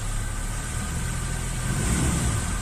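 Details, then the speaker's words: Suzuki Escudo at idle, noise that began on a morning cold start: pressing the clutch pedal brings on a steady high whirr over the idle rumble; the clutch release bearing was worn and was removed. "aquí tenemos el embrague empieza el ruido y se apaga no como se puede observar"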